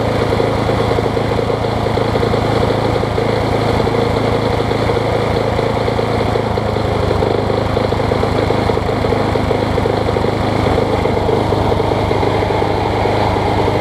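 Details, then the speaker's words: MTD Quantum push mower engine on a Troy Bilt deck, after hammering the bent crankshaft straighter: runs much smoother but still hunts a little, speed surging and dipping; sheared flywheel key found, and the owner considers fitting a 21-inch blade. "Ain't the best running Quantum that I've had, but it runs good after you start it. Still hunting a little bit."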